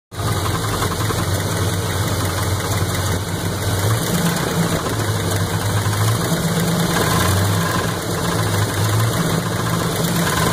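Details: 350 V8 at steady idle with a fast, even knock riding on top, tied to engine speed; owner suspects rod knock, cause not confirmed.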